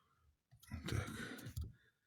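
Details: Geely Emgrand 7, steering rack knocking over small bumps: dull clicks and knocks as the steering shaft is rocked by hand, from play in the intermediate shaft (cardan) splines, which need tightening.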